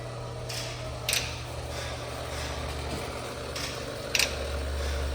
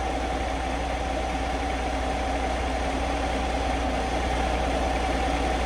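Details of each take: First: 2023 Kenworth W900L in 3° cold, fuel pump kicking on after a harness terminal repair: low, slightly rough pump drone with a couple of clicks, running dry while filling empty fuel filters. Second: 2023 Kenworth W900L diesel in 3° cold, idling after a failed relay was replaced and fuel pressure was restored: deep steady rumble with an even beat and no stumbling or surging, a smooth healthy idle.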